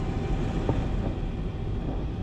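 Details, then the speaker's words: Thirty-year-old Rheem 90-plus gas furnace, blower motor previously loose on its mounting brackets, unit on a sagged wood platform out of level: deep, steady, wavering rumbling drone as the blower runs; blower vibration, cause suspected, not confirmed. "this thing's built on a uh wood platform and the wood lays on its side well of course this thing's been in here since the '90s so the wood is sagged this thing had gotten out of level"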